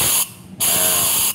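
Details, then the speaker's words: Yamaha Force motorcycle, cylinder pressurized through the exhaust side: two sharp bursts of air hiss as air escapes past a valve held open by about 1 mm of carbon buildup; severe valve leak causing loss of power. "bocor parah Pak tuh bocor Parah ini menyeluruh"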